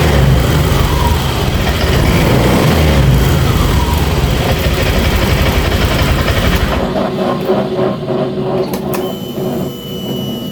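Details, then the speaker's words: Honda Vario 150 scooter after replacing a rat-chewed injector connector: the fuel pump hums and the engine fires and settles to a smooth, steady idle. MIL code 12 cleared. "ya dan pulpam pun langsung berdengung kita dengarkan lagi matikan berarti pertanda Ini motor sudah bisa dihidupkan"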